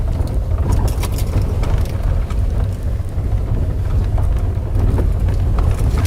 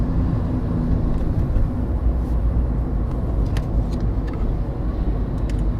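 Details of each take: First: VW Polo Sedan on a rough stony road: clattering, rattling and side-to-side swaying from the suspension, felt through the steering wheel as if something heavy were loose; knocks over bumps began at about 10,000 km, source unconfirmed. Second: VW Polo Sedan that knocks over bumps, driving on smooth new asphalt: only a steady low tire and road rumble with no knocks. The suspension and steering rack are quiet here, and the owner expects the rack to rattle on rough roads.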